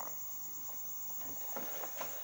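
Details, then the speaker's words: Radio that powers on, indicator lit, power supply judged fine, gives no sound on FM: steady even hiss with faint crackles, no voice or music, from no station reception. "suara ngeses ya ini membuktikan radio ini bagian power supply Saya jamin aman"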